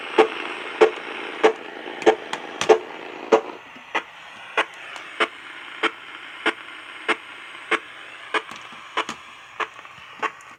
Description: Annoying static discharge noise on your AM Radio? It might be coming from a Cen-Tech Automatic Battery Float Charger, Harbor Freight Item 69955, located on your property, or on your neighbor's property.